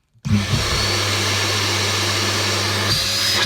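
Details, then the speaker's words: Redundant vacuum cleaner rewired as a workshop dust extractor, first test: clean switch-on straight to a strong steady high-pitched roar with no rattle or wavering and fierce suction; normal running. "right so that that that's sucks in a good way so that really does that was pretty fierce the amount of suction coming in there"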